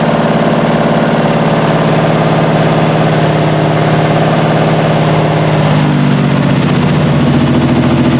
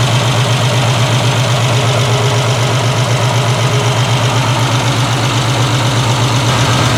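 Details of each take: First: 1968 Triumph TR250, first start since body went on chassis, carbs' idle screws just backed out two and a half turns: uneven, lumpy, wandering idle; rough running from carbs untuned, loose linkage, and timing needing adjustment. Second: 1968 Triumph TR250 restoration, on jack stands: steady even low idle, regular beat, no knocks or misses; running smoothly.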